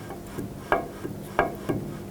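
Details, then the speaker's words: 2008–2010 Ford F-250 rear wheel after inner bearing replacement, rotor spun by hand in neutral: only a soft scuff each turn as the parking brake shoes barely touch the rotor hat, spinning freely with no drag; adjustment correct. "what you can hear there is the e-brake shoes kind of just barely touching the Hat of the rotor here and that's what you want you don't want any drag on them"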